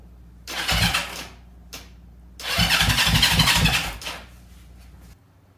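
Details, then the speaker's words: 1970 Honda CL350 twin, unregistered 42 years: two bursts of kicking with a few firing pops that never catch; no-start, both points timings found slightly out. "so basically all I'm doing here is making sure that the timing is actually right because it sounded like I wanted to start but it kind of sounds like it was slightly out of time"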